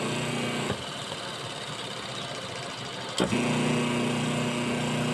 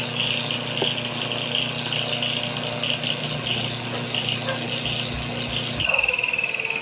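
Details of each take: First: Washing machine wash motor bench-wired through a timer switch and capacitor: quiet, then a clean start into a steady low hum that holds evenly as it reverses; normal forward-reverse cycling. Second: Washing machine wash motor bench-wired through timer switch and capacitor: steady hum with a light repeating scratchy rub, caused by the two pieces of masking tape attached to it brushing the spinning motor.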